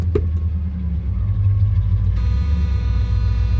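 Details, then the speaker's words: 1972 Chevrolet Monte Carlo Custom, 102k actual miles, 12-bolt rear, engine cold, brakes held while put in gear, choke not working properly; deep even V8 rumble holding steady with no misses, knocks or smoke. "Of course, no smoke. So anyway, choke's not working exactly."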